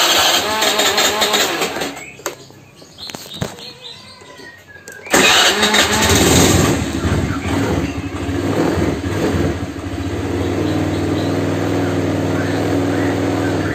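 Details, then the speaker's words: Old Honda Vario scooter at idle, oil about two months old: otherwise smooth engine with a light, regular tok-tok knock about three per second from the engine's centre, not the CVT side, clearer with the exhaust blocked; cause suspected, not confirmed. "hai nah suaranya mesin halus-halus tapi kayak ada suara kayak tok tok tok gitu teman apalagi kalau kita tutup lubang knalpot ya ini suaranya jelas banget"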